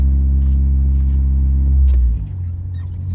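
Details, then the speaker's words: Honda H22-swapped Civic with a Prelude transmission (gears 1-4 with an Accord 5th gear), lightweight Clutchmaster flywheel and Motul 300V 75W90 gear oil, car up in the air: deep steady drivetrain drone settling as gears engage; shifts smooth, no grinding. "all right going through the gears pretty good"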